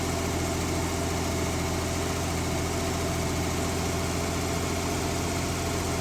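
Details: 1970s Mercruiser sterndrive (slight float drip) being winterized, after a little throttle: a steady, smooth low idle hum with no knocks or misses; warming up with oil pressure and charging good; normal warm idle.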